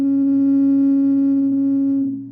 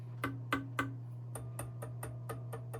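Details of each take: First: Rock-Ola Tru-Tone Model 0 tube amplifier, warmed up at top of the volume range with music muted: steady pure ringing tone near 280 Hz that fades; a microphonic tube feeding back, cured by swapping the tube. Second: Rock-Ola Tru-Tone Model 0 tube amplifier, chassis tapped after swapping in a replacement tube, warmed up, music muted: sharp taps die instantly over low mains hum, no ringing; replacement tube not microphonic.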